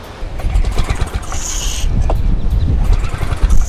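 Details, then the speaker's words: Paramotor two-stroke engine, restarted after exhaust rattled loose and engine problems: deep, fast drone building steadily with no misfires or rattles; pulling cleanly, sounding much better. "sounding much better can't hear it and pull out at the same time"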